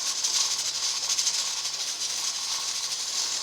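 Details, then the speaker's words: Presto 23-quart pressure canner converted from dial to a 15 psi weighted regulator, with the dial reading about 14 psi. A loud steady steam hiss and a fast, busy weight rattle mean the regulator is jiggling too hard, so the heat needs turning down. "So if it held jiggling about like this, perfect jiggle right now, then I would feel just fine that I was keeping it at 15 or under. Now it's starting to get a little rambunctious, so I'd want to turn it down a little bit."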